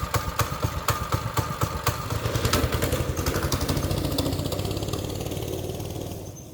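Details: Small single-cylinder engine putters evenly at about four beats a second then winds down; it runs smoothly and idles normally.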